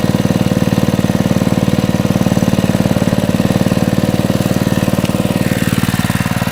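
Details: Honda GX120 reassembled after head removal, one bolt left over, started first pull: even, steady single-cylinder beat at constant idle, no knocks or misses; normal running, owner notes a slight exhaust valve flutter.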